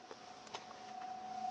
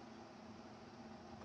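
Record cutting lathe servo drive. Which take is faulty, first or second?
first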